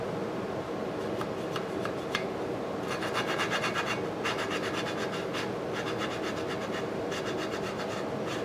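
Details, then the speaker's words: Lapping the exhaust valve on an antique Briggs & Stratton 5S engine (motorized scooter build) with coarse compound: gritty back-and-forth rasping in bursts, about four strokes a second, compound cutting the valve seat well. "Alright, that sound like it's cutting pretty good."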